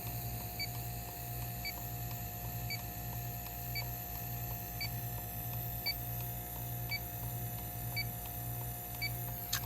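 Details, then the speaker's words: Addison heat pump, leak detector on the hot gas line: steady high beep about once a second over low room hum as refrigerant is detected, traced to a leaking high pressure cutout switch on the Puron (R410A) system. "so all right let's break out the leak detector yeah all this is certainly leaking see if this is"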